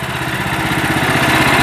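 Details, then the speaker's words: Sawmill's small engine running after throttle and fitting adjustments: quick, even putter at idle with no misses or knocks; running smoothly. "anyways this thing's out here running i guess we're gone as far as we can today with it yeah it sounds like it's idling there pretty good"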